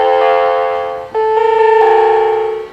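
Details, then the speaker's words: Macintosh Performa 475 (LC 475) before recapping, powered on with buzzing speaker: falling then rising tone sequences, the chimes of death indicating a hardware fault; owner suspects capacitors or bad RAM SIMMs. "Okay, those are the chimes of death. So there is a problem on here."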